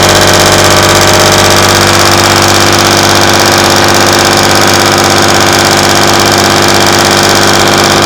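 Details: Class 117 DMU 51412 diesel, first start in 5 years after bleeding fuel air via the hand lift pump: steady, even idle around 500 rpm with a regular beat, no knocks or misses; healthy.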